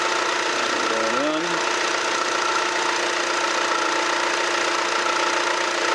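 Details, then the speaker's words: Imported car idling just after start-up with a steady thin squeal over the engine; belt noisy at initial start, temporary fix applied: serpentine belt squeal at cold start. "이거는 왜 하냐면 벨트가 초기 시동시에 소음이 좀 나가지고 자려고 일단은 임시방편으로 하는 거고"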